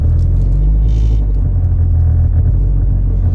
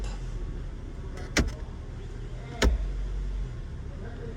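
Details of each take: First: 2007 Mazda driving and shifting gears: heavy droning low rumble and rattling vibration in cabin, caused by a failed engine mount; fix is replacing the mount. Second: 2007 Mazda, complaint of rattling and vibration when driving and shifting, after engine mount replacement: low, even idle rumble with only a couple of handling clunks, no rattle left; normal idle.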